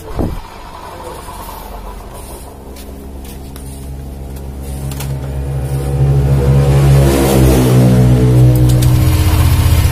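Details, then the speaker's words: 2019 Honda Vario 150 scooter with a rough CVT that also grinds when pushed: idles then revs with a coarse, rough growl from the transmission side; worn rear CVT pulley bearing. "hai oke first dampaknya kalau motor kita dorong itu bunyi Chosiyah bunyi Rocky tugas ya Terus kalau mesin kita hidupkan Hai suara mesin jadi kasar tewas ya lah ini ciri-ciri dari klaker puli belakang ya"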